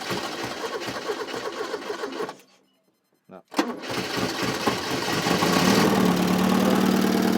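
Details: Porsche 944, four-cylinder (possibly 2.5L), with a no-crank/no-start fault, started by feeding a wire to the back of the ignition as a terminal 50 bypass: steady cranking, a pause, then it catches and runs evenly; normal start.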